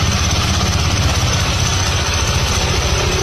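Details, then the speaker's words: Honda scooter CVT: steady running engine with thin constant high ringing and light rattle; strange noise from a worn clutch outer (clutch bell). "Strange noise from CVT. Something is wearing out. Clutch outer."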